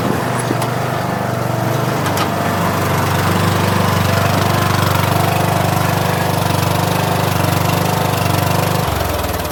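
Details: 2013 Troy-Bilt Bronco riding mower, first drive after sitting 3 years, pulling out of the shed; steady single-cylinder engine holding an even beat under load, running smooth and healthy.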